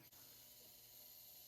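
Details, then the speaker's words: Honeywell HE-series whole-home humidifier after replacing the solenoid valve for a no-water fault, on a furnace heat call: soft, steady high hiss of water flowing through the valve onto the water panel, which is normal. "Now we'll go ahead and trigger a heat call, and then whenever that does kick on the humidifier, you'll hear a hissing sound as this is letting water into that water panel inside of"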